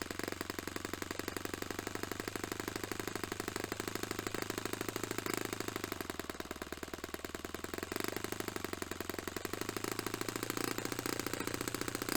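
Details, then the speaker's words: Restored Saito FA-45 Special four-stroke on a test stand, 10% nitro fuel, original old glow plug, after carb tuning. Crisp, rapid, even firing holds a steady pitch with small dips and recoveries; normal running. "Really happy that's running quite nicely, or certainly at the moment to the best of my ability to tune it."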